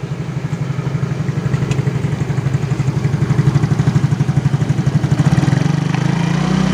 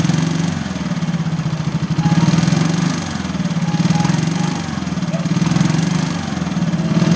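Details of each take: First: Yamaha X-Ride (Mio engine code 54P) after replacing worn piston and cylinder block that caused rattling when revved at 3000–4000 rpm: normal idle, revs up smooth and even with no clatter; repaired. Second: Yamaha X-Ride (54P engine, same as Mio): idle normal, but on throttle the revs swell with a light metallic rattle on each rev, around 3,000–4,000 rpm; worn piston and cylinder block, piston slap.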